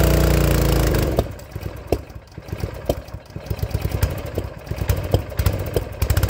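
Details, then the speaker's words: Honda GX160 engine on a log splitter, popping and coughing with uneven gaps after running briefly, bad enough to kill the engine; owner found the spark plug failing (looked a little black), not the carburetor. "the popping it kept popping when the motor will get warmed up well that's the sound of a spark plug failure this spark plug was failing on me"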